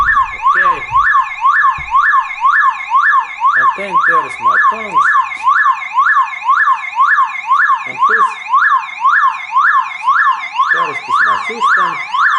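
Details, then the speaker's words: Car with aging alarm, battery disconnected: loud siren sweeping up and down about twice a second, steady and unbroken; car alarm siren triggered. "first I take like this is like demonstration that how this alarm activates"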